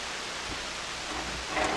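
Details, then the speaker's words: Hammarlund SP-600 communications receiver, AVC troubleshooting, in double-conversion range: only a steady even hiss across the band, no stations; antenna turned out to be disconnected, reconnecting restored reception. "It just sounds like there's no antenna. No antenna."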